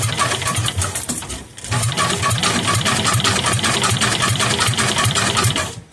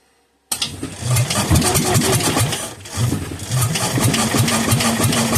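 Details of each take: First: Kohler K241 single, sat for years, bench test, spark plug in, starter-generator belt sitting crooked, battery connected: steady rhythmic chuffing about four beats a second for several seconds; normal cranking. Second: Kohler K241 10 hp engine that sat for years, running only on fuel poured into a filled carburetor and bottle-fed: sudden start into ragged, surging firing that bogs and picks up unevenly.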